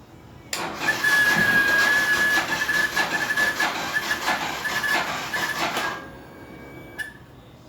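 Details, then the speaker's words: Motorcycle with ignition on, weak Yuasa battery (not original): harsh buzzing rattle with a thin steady whine pulsing about three times a second from the fuel pump; bike won't start for lack of power. "não tem energia. Esse barulho que vocês estão ouvindo vem da bomba, né? Então a moto tá sem energia,"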